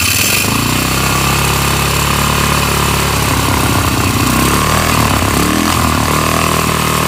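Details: Polaris 500 HO single-cylinder ATV that came in as a no-start, with awful-smelling old fuel and mouse droppings: loud idle with steady firing that keeps running and picks up briefly, no stalling or sputter; runs healthy.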